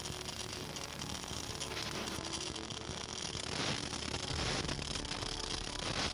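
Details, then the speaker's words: MIG fillet welding on a steel beam at reduced voltage: a dense, steady crackling hiss, a short, tight crackle. "Das Geräusch knistert."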